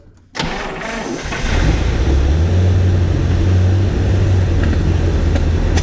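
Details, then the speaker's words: 1953 Buick, idle when first run on its own tank after fuel system restoration, untouched carburettor, unrun for 30 years: starts after a short crank and settles into a steady, even low idle with no misses or knocks; fuel pump possibly weak. "we might be due for a new uh fuel pump at some point here this one might be just barely functioning but it's enough sitting here idling"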